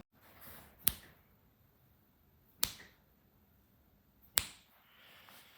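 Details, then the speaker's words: Leaking water pipe in a mansion ceiling with a third-floor apartment above, no rain for days: sharp single drips land about every second in a quiet room, a pipe dripping above the ceiling. "that's the count of the drips that is definitely a pipe that is dripping literally every second there"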